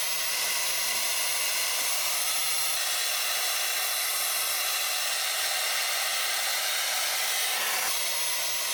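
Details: Dyson Airwrap after removing a carpet of fluff from the motor inlet, nothing else changed: a steady, even high-pitched airy rush with no fluctuation, rattle or catch; the fan and motor run smoothly.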